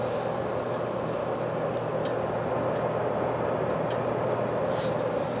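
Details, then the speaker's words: Whitfield Advantage/Profile 30 pellet stove, working again after a broken fuse holder was replaced: heat turned down with the blower left high, giving a steady airy rush and low hum with no rattle or scraping; blower running normally. "i'm gonna leave the blower where it is because i don't know what i'm doing wow that thing's really cranking"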